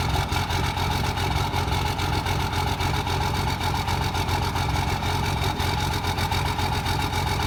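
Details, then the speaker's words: Cummins truck with a hot-rod VP44 injection pump and stock injectors, at steady idle: a loud, hard rattling clatter of about three to four raps a second, much harsher than a normal diesel. The injectors are mismatched to the pump. "You see what those things sound like on the Hot Rod VP44. Sounds horrible, right?"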